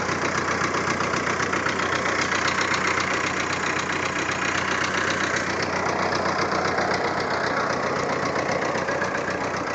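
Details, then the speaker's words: Volkswagen Jetta recorded with phone audio: an uneven, lumpy idle pulsing about four times per second with a shaky rhythm. Rough idle, cause unknown. "all right now the Jetta is idling really weird"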